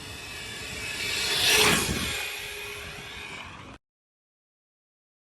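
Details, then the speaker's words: PD Racing Minitron 1/16 RC car with replacement motor, driving past: buzzy, raspy whine; diffs checked fine, owner suspects spur and pinion damaged when the original motor locked up. "drivetrain is very noisy as you can probably hear um I have checked it all over so all the diffs are fine it must be the spare and pinion where that motor locked up"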